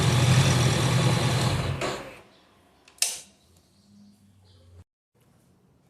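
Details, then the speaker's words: Honda CB 500X motorcycle: quick even ticking clatter seemingly from the cylinder head, actually normal engine mechanical noise escaping through a loose or open breather hose hole; simple fix, before cutting off. "então por que que ela faz esse barulho aí parece como estivesse batendo a parte de cima e fazendo barulho da parte de cima é justamente porque todo o som do funcionamento do motor ele tá saindo pelo buraco do respiro aí"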